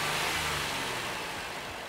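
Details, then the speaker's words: Proton X50 1.5 TGDi three-cylinder at idle, heard from outside: light, quick ticking clatter like a small diesel, with essentially no vibration; normal direct-injection noise for this engine. "this car at idle especially on the outside it does sound a little bit um clattery it almost sounds like a small diesel engine"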